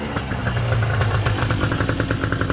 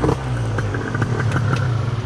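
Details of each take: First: Gilera Runner 180cc scooter after SmartCarb SC2 install, mixture leaned out further: even, rapid two-stroke popping at a steady, slightly raised idle, no misses or hunting; normal idle. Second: Gilera Runner 180cc scooter with newly installed Smart Carb SC2, before a further leaning adjustment: uneven burbling, soggy idle; still running rich.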